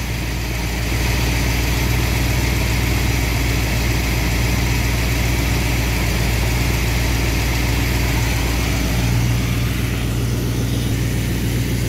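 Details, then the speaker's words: Engine after ignition timing adjustment, 18° initial, about 900 rpm, good vacuum: a steady, even low rumble with no misses, knocks or surging. Normal idle. "so we're we're good on our vacuum we're good on our RPMs the engine sounds good"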